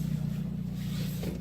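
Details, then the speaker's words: 2010 Honda Civic LX coupe R18 after exhaust hole patched with a beer can and muffler cement: low, even idle rumble with no puffing or ticking, exhaust sealed and much quieter. "but that idle is so much quieter it's God was weird cuz I've been driving this thing up so long"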